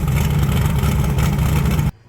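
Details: 1980 Trans Am with turbocharged Gen 1 small-block Chevy (blow-through carburetor), after new valve seals: strong, even rev with a deep, steady growl, no ticking or misses, cutting off cleanly. Earlier heavy exhaust smoke is cured. Healthy.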